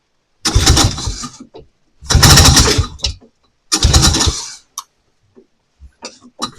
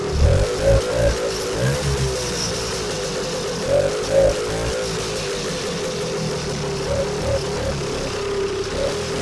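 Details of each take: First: Vintage snowmobile, stored since last spring, first start of season with choke and primer: three short firing bursts dying within a second, then sputters; fuel pump not pumping, fuel line suspected of sucking air. No fuel delivery. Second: Vintage two-stroke snowmobile after a cleanup and reassembly, now pulling fuel: sputters and surges a little at first, then keeps running on its own with a fairly steady buzzing beat; fixed, ready to go.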